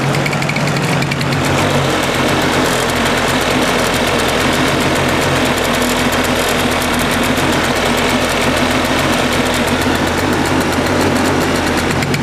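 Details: Suzuki Address 110 scooter at idle, crankshaft at 11,373 km, piston at 6,392 km, NSK bearings: dull, regular knock keeping time with the crank, worse when warm, unchanged with variator rollers out. Engine knock, cause unconfirmed.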